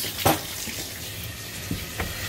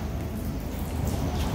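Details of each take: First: Water turned back on after replacing the busted Symmons valve: a steady rushing flow with no spitting, hammering or hissing at the fittings. No leaks. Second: Busted Symmons valve leaking: a continuous heavy patter of water splashing onto concrete, like indoor rain, with leaks all over the place. A major supply leak, fixed with a new valve.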